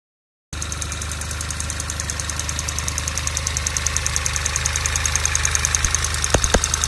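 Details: VW Golf VI GTI TSI at idle: normal even injector clatter about three per second with occasional sharper, louder ticks in between; cause unknown.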